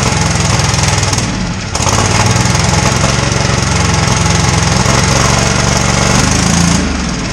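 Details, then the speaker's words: Husqvarna lawnmower revived, jump-started on jumper cables with choke on after freeing slightly rusted rotor part; loud, steady single-cylinder putter catches and settles into an even run with no misses or knocking: runs properly. "Okay, I got my jumper cables hooked up, and let's try to see if this thing will draw some fuel. I got the choke on. Let's see if it starts."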